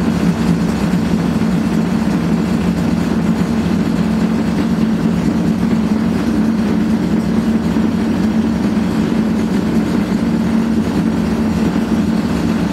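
A loud, constant low rumbling roar through the whole spin with no letup, the typical sound of badly worn drum bearings.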